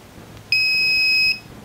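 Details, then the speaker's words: Polytron single-tub washing machine after repair (previously hummed when plugged in; capacitor had failed): one clean high beep under a second at switch-on; control board powers up normally. "terbukti saat Saya nyalakan ini stop kontaknya nanti akan ada bunyi nah ini udah tanda jalan"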